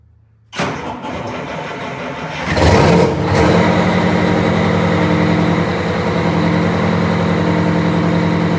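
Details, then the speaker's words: Wanderlodge bus diesel after kingpin work, new oil pan gasket, fresh coolant, oil and transmission fluids, started: starter cranks ~2 s, catches cleanly, settles to steady even idle; normal start. "you can go ahead and start it we're only going to run it for about 30 seconds and if you want to go up front just confirm oil pressure once it starts and then about 30 seconds we can shut it off"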